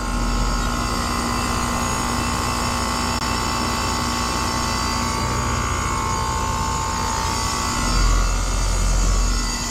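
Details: Lennox heat pump outdoor unit, noise complaint keeping homeowner awake: loud, steady low droning hum with hissy rattle; technician suspects bad compressor valves, compressor noisy.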